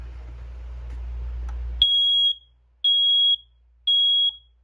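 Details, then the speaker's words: Bedroom smoke alarm on test button, no smoke present, washer running in background: loud high-pitched beeps about one per second, evenly spaced. Alarm working normally. "Now keep in mind there is no smoke fire, but I am just testing this to show you guys that it actually does work."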